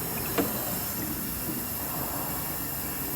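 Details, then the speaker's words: Toyota Tacoma with misfire codes P0300/P0301, cylinder 1 leak-down test showing 20% leakage: steady airy hiss with bubbling in the coolant side, air escaping past the head gasket; fix is removing head and replacing head gasket. "vemos que hay una marca un 20% de fugas y te damos cuenta empieza a burbujear aquí pues eso quiere decir y allí es donde tal como está la fuga de él en el cilindro tiene un juego en la junta de la cabeza"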